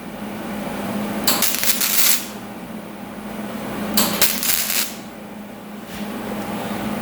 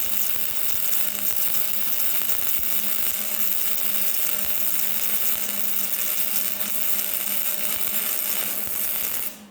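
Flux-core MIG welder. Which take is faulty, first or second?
first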